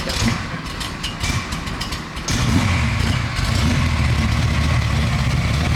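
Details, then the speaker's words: 1969 Camaro restomod, 427 Dart block V8: uneven ragged idle with a couple of blips, stumbling; air-fuel reading around 35 suggests way too lean; spark plugs to be checked. Cause unconfirmed. "it doesn't seem to be working it's like a 35 which is a signal mean way too lean"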